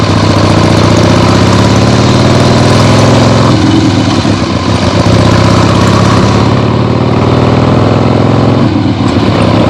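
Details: 1975 Harley-Davidson XLH Ironhead Sportster after full rebuild, first short test ride around the block on temporary lawnmower gas tank: loud, lumpy potato-potato beat through open pipes, steady, no knocks or misfires; carb farts probably adjusted out once warm; runs great.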